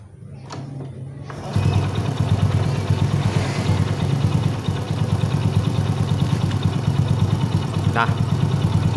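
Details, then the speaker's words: Honda Astrea Grand after repair (loose magneto nut and a leftover bolt inside the magneto caused loud klotok knocking): after a brief kick-start crank it settles into a smooth, even idle with no knocking; healthy. "itu teman-teman ini sudah halus lagi permasalahannya Ya bisa dibilang sepele"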